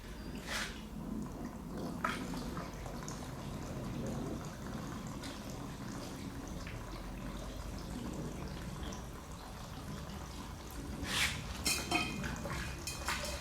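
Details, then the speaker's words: Gurgling, splashing trickle with uneven drips over a low rumble as fuel finally flows over into the completely empty other side of the tank, filled by funnel, on a 1000HP AWD Hellcat-swapped Dodge Magnum wagon. "You can finally hear fuel flowing over to the other side. It sounds like it's completely empty."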